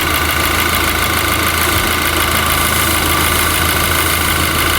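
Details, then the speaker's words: VW Golf GTI idling with electrical tape wrapped on a cracked intake pipe, engine light from MAF readings: faint continuous hiss over steady idle; air still seeping from the pipe, which needs replacing. "So let's put some electrical tape around this pipe and just see if I can hold enough vacuum so that little hissing noise goes away."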